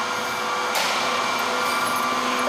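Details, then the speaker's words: Grimeton SAQ 1924 Alexanderson alternator startup, 2,300 V supplied to drive motor: steady hum with clean tones over the whir of the big motor revving up toward 700 rpm; normal run-up. "and now we have I will have now we will have 2 300 volts to the motor you can hear the motor revving up"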